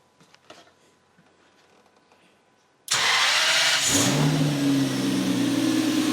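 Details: Toyota BJ40 Land Cruiser with twin-turbo 1GZ-FE V12, first start after fitting a Haltech Elite 2500 ECU on an untuned base map, with timing set: cranks, catches quickly and settles into a smooth, even idle with no misfire.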